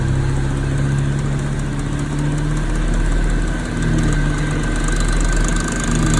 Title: Major Clicking noises and vibrations